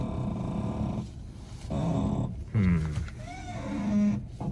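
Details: 2013 Hyundai Sonata, steering noise: low rough groan swelling and fading as wheel is turned back and forth; suspected ball joint, tie rod or control arm, not confirmed.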